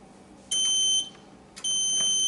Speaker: okay you can see we've got our strobes going off the panel's in alarm and it's beeping so I'm going to hit the panel tone silence